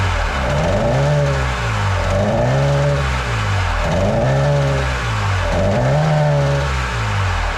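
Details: Jet boat engine after carb rebuild, whose carbs are now suspected to need rebuilding; a kinked choke line was sticking. Revs rise and sag about every 1.5 seconds and never settle; owner notes a top-end bog. Rough idle and surging.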